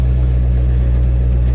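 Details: Camaro SS at a salvage auction lot: deep, smooth V8 rumble with even firing and no knocks or ticks; healthy idle with good oil pressure.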